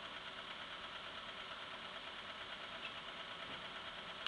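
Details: Quiet idle with a faint, uneven tapping at roughly two per second riding over the engine; an engine knock of unknown origin.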